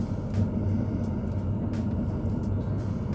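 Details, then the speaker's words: Autoterm diesel air heater newly fitted in a classic camper van, just after first fire at startup: steady low combustion roar with a soft fuel-pump tick about every half second, pump full of fuel; normal operation. "that's the noise you will hear that is the noise you're expected to hear then you can hear the pump ticking away nicely full of fuel"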